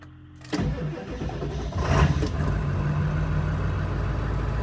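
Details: 2000 Ford F-250 7.3 Powerstroke diesel, first cold start after seven months in storage with only batteries reconnected: brief starter whir, fires at once, steady even idle clatter.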